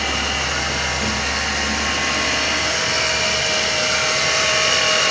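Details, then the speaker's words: 2006 Dodge Dakota idling engine with fast sewing-machine-like ticking whir from a worn idler pulley, before idler pulley replacement. "I'm sure you can hear that. The engine is on, and the engine sounds like a sewing machine."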